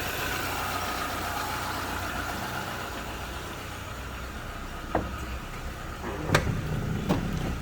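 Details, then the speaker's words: Used automatic car at idle after start: soft, even idle, engine smooth, no smoke from exhaust, no misses or knocking, a few handling clicks; automatic normal on test drive. Normal idle. "juga aman tidak ngasap temen-temen Hai mesinnya halus"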